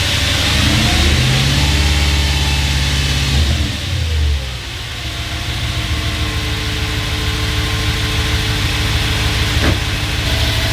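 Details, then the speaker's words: Audi B7 RS4 after fitting a new sensor and clearing the EPC/CEL/TC codes, once warmed up: revs then settles to an even idle, with the earlier odd pump or seal noise from sitting gone; normal running. "So after a bit of warming up, that weird sound is gone. Okay, so that was probably again just due to sitting. Some weird pump or seal just making a little bit of noise."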